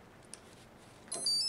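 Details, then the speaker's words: 3DR ESC powered from a separate battery, with its signal cable to an APM2 and the APM2 on USB: a short series of high, clean rising beeps. These are the normal ESC power-up tones before arming. "so you can hear the ESC fire up now also plugged in the USB so the APM 2 is fired up"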